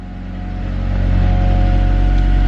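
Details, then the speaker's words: CE Lancer with SOHC 4G93 turbo after Walbro fuel pump upgrade: no audible prime, then engine catches and settles while a thin, steady mid-pitched pump whine holds over it; normal fuel pump whine. "i don't really hear anything maybe it doesn't prime all right let's just start it oh you can definitely hear it"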